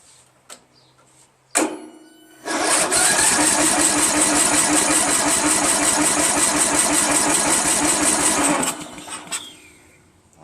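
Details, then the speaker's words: Free Craftsman LT1000 16HP lawn tractor with new starter, spark confirmed, starting fluid sprayed in: engine cranks at a steady even pace about six seconds but never fires; owner suspects a badly clogged carburetor or blocked intake. "at all. But at least we could see that it turns."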